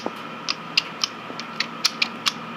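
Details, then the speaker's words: Kubota L4240HST-3 tractor, engine off, installing L2195 72" front snow blower: quick series of sharp metallic clicks as the PTO splines line up and seat, showing the PTO coupler is locked in. "Um, you know, with the MAP PTO, just have to, you know, get on your back, line up that, uh, the PTO splines, make sure it you hear the clicking sound. That means that it's locked in."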